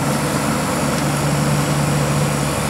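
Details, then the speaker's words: Air-conditioning compressor previously seizing after refrigerant leak, unstuck with Supco 88 and oil mix: steady even hum with constant low tone, no knocking, stalling or cycling; starts and runs smoothly. "that's running so started and stopped okay"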